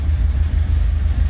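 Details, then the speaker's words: 1982 Pontiac Trans Am with Crossfire Injection, revived after sitting 30 years: lumpy low idle with an irregular stumble every few beats, sounding cam-like but actually a cylinder misfiring. Misfire at idle. "Look at that. She's got a cam in her. Nope. Just misfiring."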